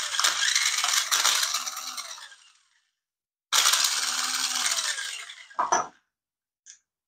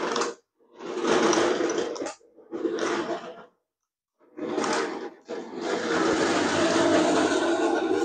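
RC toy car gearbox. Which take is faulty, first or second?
first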